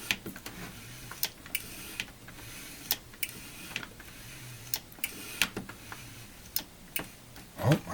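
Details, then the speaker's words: Osborne 1 computer floppy disk drive during servicing (nothing seized): sharp, uneven light clicks over a quiet room as the head steps back; track 0 switch clicking freely, drive sounds fine. "hear the yeah track 0 switch happy to clicking so that's good"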